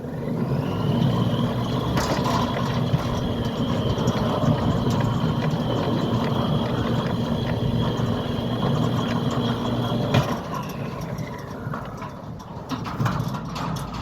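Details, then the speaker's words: Newly installed Centurion D6 Smart sliding gate motor on a new concrete-set steel platform, driving a heavy steel gate; steady whine about nine seconds over light clicks then winding down, not labouring, normal operation. "And you can hear that the gate motor is not laboring at all."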